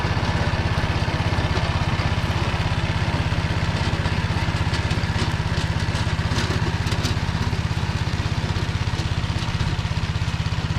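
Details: Tractor driving a Motor Sich rotary tiller through the Kamyansky gearbox, rebuilt after breaking with all 3 bearings replaced, under load in hard ground after barley: deep drone with an even beat about two per second, no grinding or knocking; normal running.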